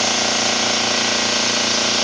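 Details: Gast 1LAA oilless piston air compressor (1/6 hp, rated 50 psi continuous) bench tested after overhaul at about 50 psi, drawing 3.75 A against a 3.9 A rating: a steady, even buzz with a fast uniform pulse and no knocks. It runs normally.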